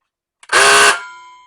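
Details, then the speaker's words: Nearly decade-old Ryobi cordless circular saw on the big battery: a harsh half-second electrical buzz with a high steady tone and no spin-up, likened to a Honda on the rev limiter. The motor is stalled, overheating and smoking; on the small battery it only clicks. "And if I hold this long enough, I can smell it. It starts smoking. Sounds like a Honda hitting the rev limiter."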